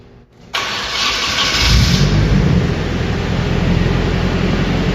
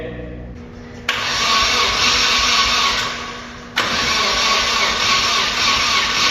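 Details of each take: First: Nissan 240SX with a KA24DET on its first start after distributor timing adjustment: brief crank, clean catch, and a steady, even idle with a smooth low rumble, no knocks, not very loud. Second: 240SX with KA24DET engine, first start attempts after starter-engagement trouble, still grounded via jumper cables: two long stretches of even cranking with steady compression pulses but never fires; no spark suspected, unconfirmed.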